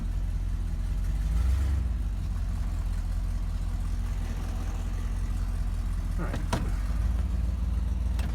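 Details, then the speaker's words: Chevy Cheyenne C20 after installing a new Edelbrock 600 cfm carb and replacing a water pump with a bad bearing: steady, even low idle rumble with no grinding or knocking; the earlier grinding noise is gone. "p in running awesome doesn't make that granny side anymore I'm gonna crank it up so you guys can see it but I've been driving it for a couple days checking boys make sure everything's good so far no problems"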